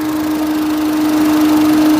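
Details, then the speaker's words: Peugeot 207 after oil leak repair, warmed up to temperature: steady even idle hum with constant whirring from the cooling fan running; no knocks or rattles, no leaks seen. "that's the fan on that's got up to temperature there's no sign of any leaks"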